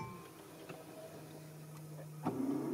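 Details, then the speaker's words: 2006 Mercedes C200, original starter at 441,870 km: solenoid click, then starter spinning freely with a thin rising whir and no crank; starter drive not engaging the flywheel, starter replaced. "À la casse, j'ai dû mettre au moins 15 coups de démarreur. T'entendais la solénoïde, mais il marchait pas quoi."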